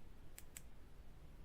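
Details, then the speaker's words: Remote battery disconnect relay being installed on a Smart car's 12V system and switched by remote: two sharp, crisp clicks about a fifth of a second apart as it connects and disconnects; normal relay operation. "on. That's it, could you hear it? And off. That's it, connecting and disconnecting."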